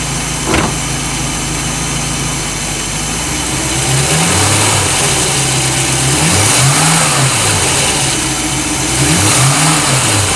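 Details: 1988 Crestliner Chevy 305 V8 with OMC King Cobra drive and electronic ignition, running despite blow-by on a couple of cylinders; even idle with clean rev blips, no knocks or misfires.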